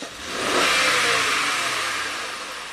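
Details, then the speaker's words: 2006 Honda Accord V6, 205k miles, P0300 misfiring at idle, cold day, transducer in cylinder one: snap throttle rev rises and fades raggedly; cylinder one low compression, 60 vs 70 psi peak, misfiring. "all right let's take a look at cylinder number one so before our Peak compression was 70 now we're this one's down to 60 more than 10% compression loss so I'd say that's cylinder 1 is definitely our definitely low on compression"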